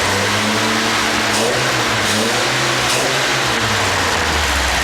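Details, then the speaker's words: Rebuilt engine, likely a P1800, fired minutes earlier with jury-rigged gauges: a deep, even exhaust note rising and falling cleanly with each throttle blip, torque rocking the body, no knocks or misses. "And it's always nice when you blip the throttle to see that torque moving the body."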